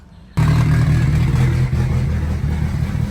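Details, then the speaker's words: Car started up just after a clutch job: loud, deep idle with rattly clicking from a major exhaust leak present since the clutch was fitted, said to affect the tune. "It's loud anyway, but you could hear the exhaust leak, which really affects the tune."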